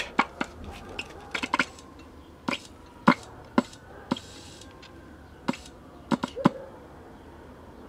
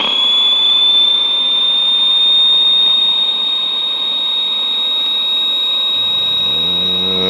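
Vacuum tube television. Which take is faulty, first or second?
first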